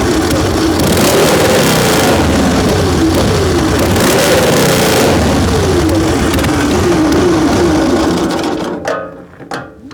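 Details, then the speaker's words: Excelsior V-twin motorcycle, first start in 3.5 years on new plugs after old ones were wet; lumpy, uneven beat hunting up and down in speed before dying near eight seconds; carburettor and ignition timing faults. "Well, it fired up. Not sounding good though."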